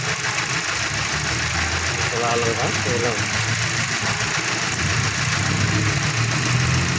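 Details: Mazda 3 with code P0300 random multiple-cylinder misfire idles unevenly, low rumble stumbling irregularly; spark plugs never replaced, suspected cause.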